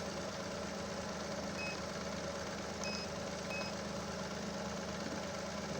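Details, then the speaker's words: Chevrolet Onix LT 1.2 three-cylinder, idling just after cranking with battery quite discharged: few short high beeps from battery tester warning of excessive cranking voltage drop (9.37 vs 9.6 limit); steady idle underneath. "Tenemos el equipo que está pitando, o sea, que la caída de tensión fue alta, aunque la batería está bastante descargada."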